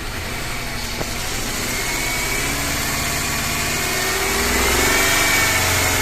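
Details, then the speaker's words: BMW M43TU four-cylinder knocking at revs and when cold, cylinder 2 plug lead removed: even idle on three cylinders with slight lope and no knock; knock isolated to cylinder 2, owner suspects worn rod bearings. "Шумов нету. Но стоит только подкинуть второй цилиндр, начинается пиздец, начинаются шумы."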